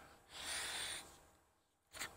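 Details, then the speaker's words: 1981 Harley Ironhead Keihin butterfly carburetor on the bench after cleaning: steady rush of air blown through fuel inlet fades away with light pressure on the float; float needle valve seating and shutting off flow normally. "a little pressure on the float air stops another way to do it is to flip it upside down"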